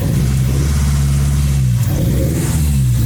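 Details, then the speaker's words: Nissan SR20DE (distributor version), starting without throttle: deep idle stumbling and dipping unevenly about every second, clearly misfiring; cause suspected airflow or ECU, not confirmed. "Pincang kan? Memang begini engine-nya, dia pincang. Seperti biasa, antara airflow-nya sudah bermasalah atau ECU-nya bermasalah,"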